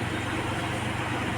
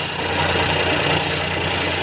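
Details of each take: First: Geely Azkarra 1.5L petrol engine idling smoothly with a steady low hum, no stumbles, after replacing a non-original spark plug that caused cylinder 1 misfire and white smoke; normal idle. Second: Geely Azkarra 1.5L petrol engine idling roughly with uneven beat and white smoke; scanner shows cylinder 1 and random misfire detected, caused by wrong spark plug used, fixed with NGK replacement.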